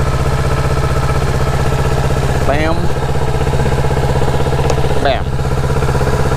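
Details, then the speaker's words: Motorcycle idling after a jump start from a dead battery while the jumper clamps are removed; steady, even thumping idle with no misses; normal idle. "and then what you do you turn this bad boy on boom and the bike should start"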